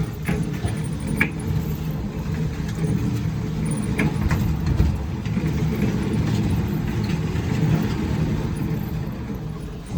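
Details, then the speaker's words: LG electric dryer that had a loud rumbling, suspected bad guides/wheels: steady, even low rumble with no knocking or scraping; quieter than before. "not so noisy as it was cuz it would make that noise right away it might have been just this"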